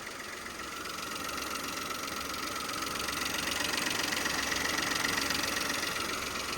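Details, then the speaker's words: 2017 Peugeot 2008 GT Line, first start after a wet timing belt change: rough idle with a steady fast patter and hissy edge. Owner suspects a vacuum leak or pipe, or a plug or sensor left unplugged. "sounds like a vacuum leak maybe it's a pipe maybe it's a pipe"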